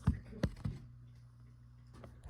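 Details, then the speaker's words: 2012 42-inch Litex Bentley ceiling fan on low speed: a few clicks, then a faint steady hum with no airflow; the motor is stalled. Bad run capacitor, before replacement. "You can see low speed is nonfunctional even though you can hear the motor hum in there."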